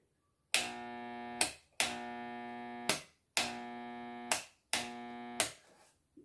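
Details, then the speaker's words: Washing machine (washer losing pressure) motor gives a steady electrical buzz about a second per power-on, four times, with no run-up; hums but won't start because a wire to the start capacitor was disconnected, mimicking a burnt capacitor. "ligou mais porque o rupio algum fio aqui do capacitor ou capacitor está queimado"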